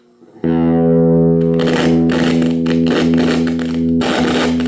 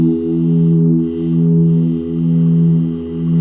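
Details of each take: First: Small flea-market guitar practice amp with dirty volume and tone potentiometers; a held chord breaks into scratchy crackle bursts as the volume knob turns. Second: Cheap guitar practice amp after cleaning crackling volume/tone pots with DeoxIT Fader F5: a clean sustained chord with gentle swells and no crackle or scratching from the controls.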